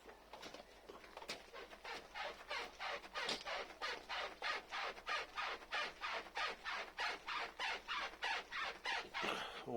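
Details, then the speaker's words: Haval H9 rear body rocked by hand. Regular squeaky creaks, about one and a half per second, in step with the rocking. Not the suspension or bushings as suspected: a black foam seal between the frame and rear bumper creaks. "но оказалось это даже ничего не в подвеске вот все гораздо проще оказалось то есть заднем бампере снизу между рамой и между бампером стоит ну как уплатить типа пенопласта черного"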